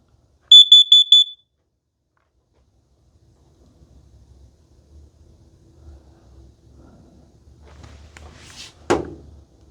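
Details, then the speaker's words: Kidde plug-in gas and carbon monoxide detector self-test: piercing high beeps, the first set for gas, then a second set for carbon monoxide, followed by quiet room noise. "okay let me explain this test because the first beeps are for gas then the second set of beeps which which are beep beep beep that's for carbon monoxide"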